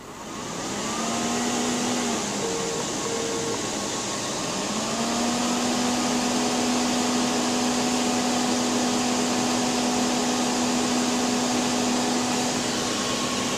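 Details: PowerMac G5 (A1093, single-core 1.8 GHz) won't start: loud steady rushing roar climbing to a constant high whine that never settles, fans at full speed, no boot; cause was RAM banks not filled in pairs, and it ran again once corrected.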